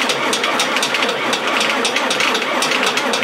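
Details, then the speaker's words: Fendt Farmer 105s diesel tractor, cold start at −7 °C, clutch pressed and stop cable pulled: rough, uneven cranking bursts with no firing; it turns over but is too cold to start. "kommt auch nicht es ist ihm zu kalt so bisschen jökeln bis Öl da ist und jetzt müsste er kommen"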